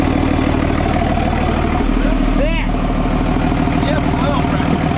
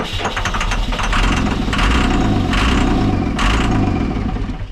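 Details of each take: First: 2002 Cummins-powered Snap-on truck diesel, first start after sitting about 10 years, following starting fluid: steady, even diesel clatter at idle with a constant low rumble and no misses or knocks; normal idle. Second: 2002 Cummins-powered Snap-on truck diesel, sat about 10 years: starter cranks in bursts with brief firing on starting fluid but never runs; no fuel return at the tank from the line pump, a pump wire pulled out, injectors possibly sticky; crank no-start, no fuel delivery.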